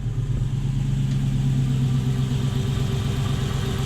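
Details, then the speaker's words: Toyota 1UZ-FE V8 hotrod idling after fuel leaks were checked; low, steady, even burble with no misses, hiss or ticking, "purrs like a kitten", a normal idle. "It runs. Woo-hoo-hoo! It doesn't just run, it purrs like a kitten."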